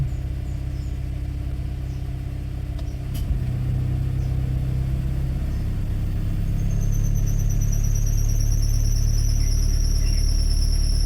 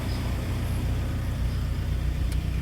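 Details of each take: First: Suzuki APV cold start, engine idling at low temperature: shrill, steady high squeal when the AC is switched on, stopping when AC is off; loose belt tightens and goes quiet once warm, even with a new belt. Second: Suzuki APV warm petrol engine idling with AC on, camera at the open window outside: low, even rumble with no belt squeal, which normally occurs on cold starts with the aircon on.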